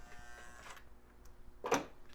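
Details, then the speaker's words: Lionel #50 switcher toy train motor running on track, a known growler: coarse buzzing, whiny growl at low speed, also noisy in reverse. "you can see at a low speed it kind of makes a lot of whiny noise"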